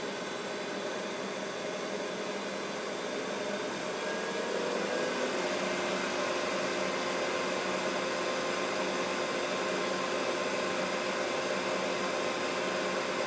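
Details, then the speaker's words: Mikini 1610L milling machine converted from flaky BLDC drive to a 2 hp AC inverter-duty motor on a Hitachi sensorless vector VFD, ramping toward full speed 120 Hz (about 5200–5500 rpm): steady even whoosh rising with speed, just the motor's top cooling fan, normal. "so all that noise is just the fan on the top of the top of the AC [Music] motor"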